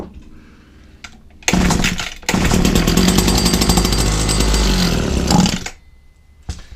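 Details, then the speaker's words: Old Husqvarna 22R strimmer, barely priming, running on choke: it catches and revs hard for about four seconds, then cuts out abruptly when throttled. A clogged carburetor is suspected, and the fuel lines and filter may need replacing. The carburetor is to be removed. "Touch more. No, as soon as you hit the old beans, you don't want to know. Carburetor off, and we're going to have a look, see what's inside here."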